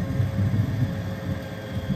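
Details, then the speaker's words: 90% furnace on a no-heat call, with the inducer draft motor struggling and the pressure switch not closing (error 312): a low, uneven rumble with a wet, bubbling wobble under the inducer. Water is pooling in the heat exchanger from poor flue pitch and drainage. "hear that noise that sounds like the uh he changes full of water yeah this thing's totally full of water"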